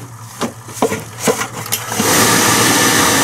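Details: Biasi B-10 boiler with Riello oil burner, bleed valve cracked and reset pressed after fuel turned on following maintenance: sharp clicks and taps, then burner motor spins up to steady hiss and hum as pump purges air from fuel line.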